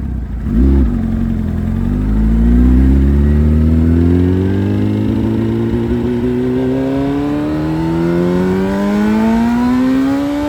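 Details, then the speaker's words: Suzuki Hayabusa with a built motor and aggressive cams, on a road test after cleaning its clogged fuel filter; before, it only reached about 7–8,000 rpm. Pitch climbs smoothly through the gears without stumbling or cutting out, pulling cleanly all the way up. Normal acceleration to redline. "All right. So, as you saw in the video, now she revs all the way through."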